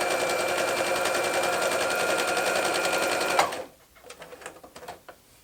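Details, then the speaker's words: Domestic modern Brother sewing machine after rethreading and correcting low top tension: fast even stitching patter about three and a half beats a second, no clunks or snags, then stops; sews smoothly, problem was user error. "it seems to be working just fine now tension was a little off on the top it was actually set lower than I probably would have started out with anyway"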